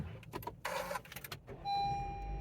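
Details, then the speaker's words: Honda CR-V starting on a second key programmed with an Autel IM508: brief starter crank, then the engine catches cleanly and settles into a steady, even idle; a healthy start. "We're gonna make sure that they start the vehicle and everything."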